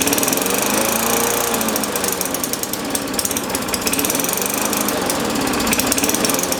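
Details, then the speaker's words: Free MTD Yard Machines push mower, first start: runs ragged, surging about three beats a second; owner suspects too much governor tension making it over-rev, and notes a cracked primer bulb and an oily, dirty carburetor. "sounds like it's got a little too much tension on that governor sounds like it's trying to over rev"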